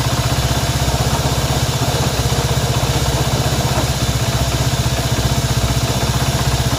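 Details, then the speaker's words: Honda CB190R motorcycle engine at steady idle with a regular thump-like pulse about three times a second over the engine beat; abnormal engine noise, cause not yet found. "Bien, aquí tenemos una CB190R y el problema que tenemos acá es un ruido extraño que tiene esta moto. Así que vamos a saber por qué hace ese ruido."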